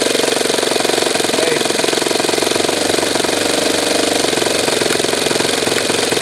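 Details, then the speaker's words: Saito twin glow model engine at low throttle buzzing unevenly, sputtering and popping, spitting fuel out of the carburetor; glow driver very touchy to adjust. "Hear it sputtering a little bit? Just a little bit of, you can see it spitting fuel out of the carburetor."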